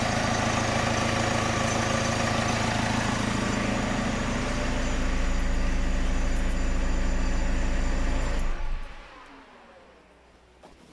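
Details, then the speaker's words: Diesel swapped-in low-mileage engine after head rebuild, first start after oil priming and reconnecting injectors: settles into even steady clatter about four beats a second, no misses or knocks, then shuts down cleanly; normal idle. "so let's give it a whirl and see what happens oh yeah look at that you've been witness to that that you first start"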